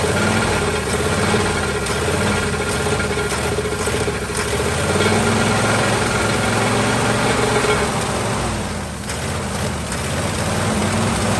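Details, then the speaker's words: 1949 Ford truck with a swapped-in Ford 312 Thunderbird V8, sitting about 45 years, idles cold with an uneven, loping beat and a steady hiss; won't run on gasoline, carburetor not suspected, owner suspects low compression from a tired engine. "She will not run off gasoline, and I've even messed with the carburetor. I don't think the carburetor's plugged up or anything. I think it's just low on compression at the moment."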